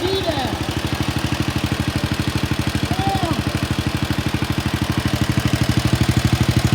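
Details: Wheel Horse RS-83 Ride Away Sr. single-cylinder engine first start after fitting new WICO HX magneto coil, points and condenser, choke held; even steady putt-putt about 3 firings per second, no misses or knocks, runs normally.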